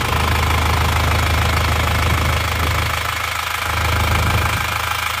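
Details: Isuzu Panther diesel from Solo, first start after rebuild with new liners instead of reused: even steady idle with light combustion clatter, no misses or hunting; healthy engine.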